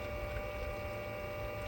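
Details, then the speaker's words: Aquastrong 3 hp variable-speed pool pump on speed 3 at 3,200 RPM drawing 1,380 watts: quiet, steady hum with a soft whir, no knocks, rattles or surging; running normally. "Speed 3 I've got set for 3200 RPM. My wattage jumped up now to 1380 watts."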